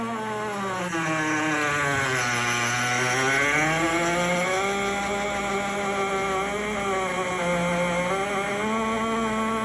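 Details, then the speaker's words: GE Opal countertop nugget ice maker, two weeks old: loud piercing squeal with wavering pitch sliding up and down, far beyond normal; source unknown; replacement unit did the same. "Started doing this 2 weeks old. Had it for 2 weeks and started doing this."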